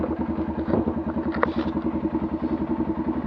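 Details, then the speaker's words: Arctic Cat 500 single after cam repair and valve adjustment, previously knocking badly at low revs: even quick putter at steady low idle with no knocking or tapping between firing pulses; now much quieter and running clean. "definitely much much quieter like I said it was it was knocking really bad you're a low revs"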